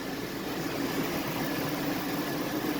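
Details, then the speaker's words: Chevrolet Tahoe V8 at 337k miles, after lifters and rods were fixed: smooth, even idle with no tapping or ticking over a steady low hum; the engine sounds healthy, as it should. "That sounds how it should."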